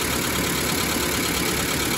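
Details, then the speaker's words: 1991 Mazda B2200 automatic after converting from electric in-tank to mechanical fuel pump: steady smooth idle, no misses or knocks, purring like a kitten; fuel pressure good, filter full, healthy fuel delivery. "pressure is good just at 4 and A2 your filter is full burring like a kitten"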